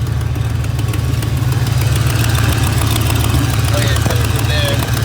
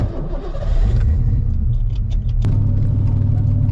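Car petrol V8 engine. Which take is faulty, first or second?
first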